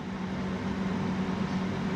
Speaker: yeah almost five kilowatts 4.5 now everything working fine no abnormal Hamming it's all good